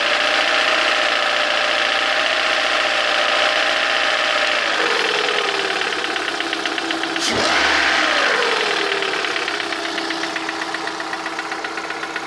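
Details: Lada engine 21126 at idle: sharp regular tapping over the idle, clearest once revs settle near the end; engine knock of unknown origin.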